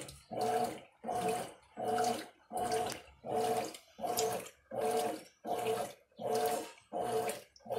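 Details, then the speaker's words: Mueller Energy 8kg washing machine on its first wash, recorded with a very sensitive mic. Steady rhythmic water sloshing of about forty surges a minute as the agitator makes full turns left and right, with no knocking or grinding; washing normally. "lá vai ela bate na rotação aí ela dá um giro completo na esteira"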